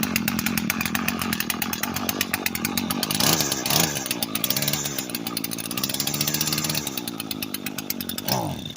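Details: Echo SRM 225 string trimmer with a broken choke, brought in because it would not start. A buzzy two-stroke revs, then sags and wavers in pitch, failing to hold speed before dying away; it starts but bogs down.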